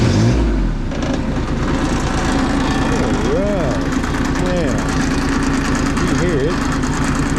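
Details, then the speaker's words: Bomag BMP8500 diesel roller after the throttle solenoid adjustment and fuel filter change: steady, even diesel clatter with no misses or knocks under its loud warbling work-site horn; repaired and running normally. "this little roller is all taken care of runs does what it's supposed to now"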